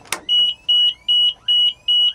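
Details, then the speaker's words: MD500 (Hughes 369C) turbine helicopter pre-start check with battery power on: clean, high-pitched warning horn beeps pulsing evenly about two and a half times a second at a steady tone. The horn works properly. "make sure that Horn's working properly flip it back off to save our power"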